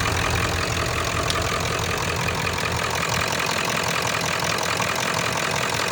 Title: What is causing the metal ticking noise on 7.3 diesel besides the typewriter noise it makes #obs